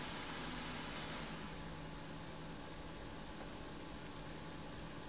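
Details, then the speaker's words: Radiator fans in a Ryzen 7 1700X water-cooled PC, run from the CPU optional fan header at full speed in BIOS before switching to silent: soft even airy hum, faint steady tone, no rattles or rubbing; fans running smoothly. "so right now you just have a listen fans running full-speed"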